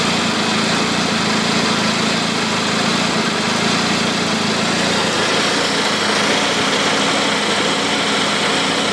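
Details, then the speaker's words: Turbo petrol car on GDM Stage 3 tune, 875cc injectors, 3.5-inch downpipe, with a missing exhaust manifold bolt causing a leak: lumpy uneven idle with occasional stumble; misfires and check engine light, owner suspects the manifold leak. "yep we got a lot of misfires when we let off the throttle so that's most likely why we got this check engine light um you can hear the idling of the car i think i know what's wrong"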